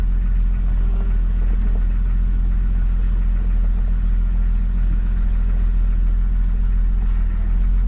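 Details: 1997 Jeep Cherokee XJ 4.0 inline-six after radiator and power steering pump replacement, wheel turned to prime the pump: steady, even low idle with no squeal or whine over the engine note. Normal idle.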